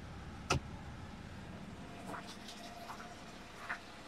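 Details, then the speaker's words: Honda Acty engine idling after timing belt and water pump replacement, while bleeding the coolant with heater blowing hot air: quiet, steady low idle with only light clicks, no knocks or misses; runs smooth and happy. "But man, that engine sounds good. Sounds happy."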